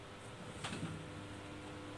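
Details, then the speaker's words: Exhaust fan that is dirty and seized: steady low electrical hum with no blade or air sound. The motor is powered but stalled and will not spin. "suaranya Hai suaranya hanya Hai istilah bahasa Inggrisnya gerem nah ini tidak mau berputar"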